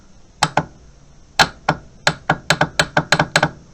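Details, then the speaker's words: Suzuki Intruder VS800 with new battery, no crank after storage, power jumpered to the starter solenoid's yellow/red wire: sharp dry clicks in irregular bursts but starter doesn't turn; test light shows nothing coming through, looks like a faulty solenoid. "something clicking not doing a lot though see yeah let's clicking but I don't think there's anything coming through that"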